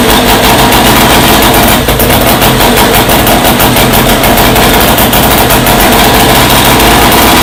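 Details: First startup of a freshly rebuilt Scott two-stroke motorcycle engine, heavily oiled with the pilgrim pump checked: loud, crisp rapid firing that picks up cleanly with each throttle blip. The engine sounds healthy and lovely.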